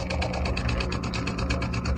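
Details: Clip fan after fixing its hard-starting fault by refitting the spacer: low motor hum with an even airy pulse about seven times a second, starting and running smoothly; fan working normally.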